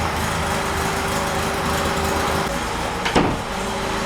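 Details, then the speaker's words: VW air-cooled Baja bug engine on the dyno, air cleaner removed, testing distributors with 30° total advance and roughly 5–6° initial: even, steady low putter with no misses or stumbles, one brief background clunk; idling awesome. "Yeah, that is idling awesome."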